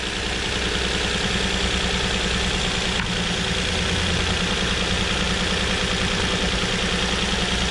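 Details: 2007 Nissan Murano 3.5L V6 with cylinder 3 misfire: uneven, lumpy idle with irregular pulses during a coil swap test; firing smoothly again once a new ignition coil is fitted.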